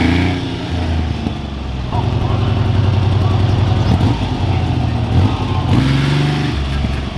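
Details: Freshly restored 1975 Triumph T160 Trident three-cylinder: rumbles evenly, picks up crisply on light revs, then drops back to a steady beat. It is a healthy, well-sorted engine.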